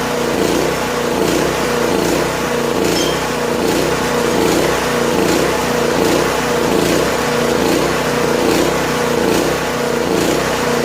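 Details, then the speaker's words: Late-1980s Honda EG2500 generator, stored 4–5 years, on half choke with little fuel in the tank: small engine chugs along at a steady, slightly uneven beat near 75 a minute, then stalls. Owner suspects it's simply out of gas. "I didn't put much fuel in it either, so it could be just out of gas."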